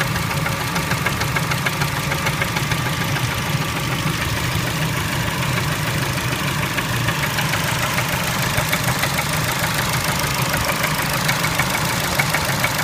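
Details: Engine knock at idle on a Kia Spectra: sharp, fairly even metallic knock roughly two beats a second over a steady idle; cause not known.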